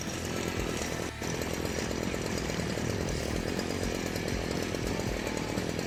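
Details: STIHL FC 56C edger after rebuild for not reaching full throttle and losing power, air filter cleaned and spark arrestor checked: small two-stroke holds a steady, even high-pitched buzz at full throttle with no surging or bogging; runs healthy.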